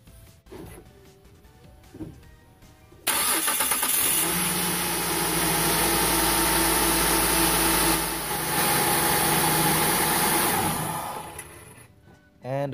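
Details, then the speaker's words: 2004 Kia Sedona after replacing idler pulley: brief crank, quick catch, smooth steady idle with no belt squeal or chirp; belt lined up and working correctly. "a quick startup to verify that everything is in place and working as it should and the belts lined up correctly."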